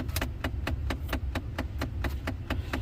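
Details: 2009-2014 Ford F150, passenger-side blend door actuator behind the glove box: about thirteen crisp, evenly spaced clicks in three seconds from behind the dash; failing actuator skipping gears.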